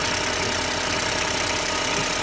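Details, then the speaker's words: 2017 Ford Escape 1.5 turbo after shop engine replacement, checked for fuel odor: steady even idle with smooth hiss, no knocks or misses, runs considerably better than before. "Run's considerably better than the last time I've seen it"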